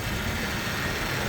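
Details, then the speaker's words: Lexus RX330 at idle after adding Lucas power steering stop leak, pump leaking badly: faint steady high whine over low rumble; power steering pump whine, owner thinks pump is dying. "all right let's turn it on so you can hear it whine see if it goes away"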